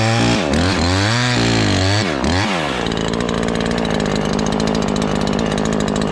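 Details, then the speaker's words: Ported Husqvarna 543XP chainsaw on first cuts, chain slightly tight: it revs up and cuts under load but keeps breaking into an uneven four-stroking burble. The high-speed mixture is way too rich and the main jet needs leaning. "Still four-stroking even though you get under a good load, so we can still lean it a little bit."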